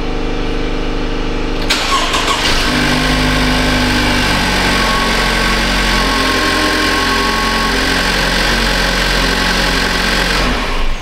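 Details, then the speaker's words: 2015 Cadillac ATS Luxury 2.5L GDI RWD, junkyard used engine just swapped in, first start: catches almost instantly with barely any cranking, then settles into a steady, even idle with no knocks or misses; healthy start, fastest-starting GDI engine he has installed. "So that's good, it runs. Happy days. And that is the fastest GDI starting engine I've ever used."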